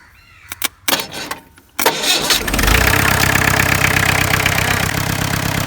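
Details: 1986 Mahindra 500D jeep, International slow-speed direct-injection diesel, 3+1 gearbox, cold start after standing 18 years: hesitant cranking bursts, catches around two seconds, then rough uneven clattering idle; cause not confirmed.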